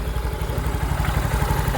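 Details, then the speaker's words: Yamaha Mio i 125 after GRacing 5.6 stage 2 cam installed with valve clearance set: even, steady low idle thump, no ticking on top, only casing vibration from removed screws. Quiet, healthy valvetrain. "Kaya namaandar ka mga idol, tahimik lang yung cam. Wala nagitik, mabibrate lang yung kaha, yung mga nakatanggal yung mga tornilyo."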